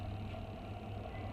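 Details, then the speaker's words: LG twin-tub washer after repair of a spin tub that would not run. The broken clutch-cable hook pin was replaced with a drilled-in bolt. Now a smooth, even low hum with no knocking, scraping or slipping; the spin tub turns normally. "ได้ยินเสียงมั้ยครับเสียงถังปั่นแห้งหมุนละก็ทำงานเรียบร้อยนะครับ"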